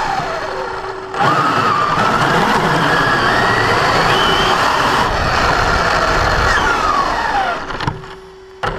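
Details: Brand-new Basher Nitro Circus 4x4 1/10 RC truck on a 3S 4000mAh battery: motor whine climbs with speed under a coarse grinding rasp through the forward run. It is absent in reverse and off the ground. Gear mesh was adjusted, and the cause is unclear.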